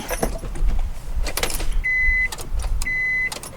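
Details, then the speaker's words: Honda Civic EF in neutral: keys rattle and two short high warning chimes sound, but there is no crank; the main relay is heard clicking and the owner suspects a dead starter or the main relay. "let's try again but I hear the main relay clicking I'm thinking maybe that storter is just gone"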